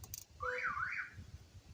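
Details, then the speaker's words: Long-abandoned Hemi Charger Daytona R/T: a loud electronic siren sweeps up and down once over a quiet background after a battery is hooked up; the factory security system is sounding, an anti-theft alarm. "I want to know where that security system is that it's going to get old quick"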